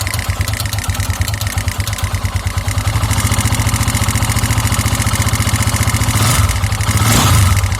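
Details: 2009 KTM EXC 450 thumper at idle, oil level checked: steady clack owner suspects is the cam chain tensioner, with an uneven light tick over it that fades with throttle and sometimes stalls the engine; source unknown.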